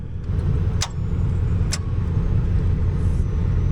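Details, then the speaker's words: Manual vehicle with clutch pressed on an overland trail: two sharp clicks with no cranking over another idling engine; the battery reads about 12 V, so a bad starter is suspected, not confirmed. "Whoa, that was weird. You got nothing? That sounded like it's got no power. That's weird. That sounds like a dead battery, but we have 12 volts."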